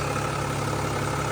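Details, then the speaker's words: Mercedes E320 CDI turbo diesel idling, running with no leaks: steady, even idle with smooth low rumble and no misses, knocks or rattles; engine sounds healthy. "she lives boys she lives there she is she is running with no"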